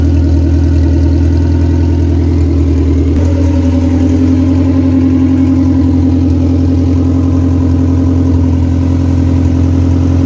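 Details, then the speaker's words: Car engine that won't start without starter fluid, idling about 1200 rpm after poor dyno day: loud, lumpy, soft uneven idle beat with pitch shift; compression doesn't feel right, rag over header barely moved, weak exhaust pulse; new Skunk2 Pro1 cams and distributor planned. "so all right so something's going on with the thing the compression just does not feel the same you guys saw i put the rag over the the header and it just wasn't even moving and that's idling at like 1200 before you know"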